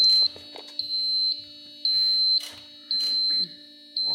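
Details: Cummins-powered bus chassis exposed to the elements about three years; a jumper restores power to the fuse panel and ECM; a high buzzer sounds in on-off bursts about once a second, the dash warning buzzer working again.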